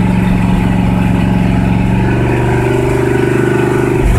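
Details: 1976 Ford F-350 V8, cold start after two years without starting: steady, fast idle holding high; idle still set too high, choke and PCV not yet hooked up.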